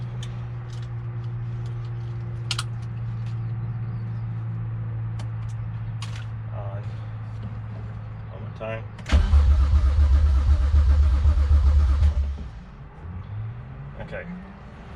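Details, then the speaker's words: N54-swapped 2001 BMW 325it E46 wagon, first test start after finishing cooling system and engine wiring: starter spins steadily about four turns a second for several seconds but never catches, fuel pump not yet connected; crank no start. "okay i'm gonna crank it one more time it cranks but will it"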